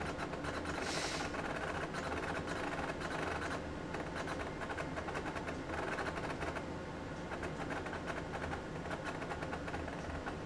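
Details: AT&T Unix PC 7300 booting with a real MiniScribe hard drive: busy chattering clicks and clunks over steady hum as heads seek during startup; normal loud clatter for this old drive.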